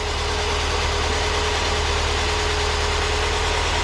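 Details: Porsche 944, first run after sorting many electrical issues, with the fuel pump heard and oil pressure building from a likely dry system: a steady, even idle hum with a low rumble and no knocks or misses.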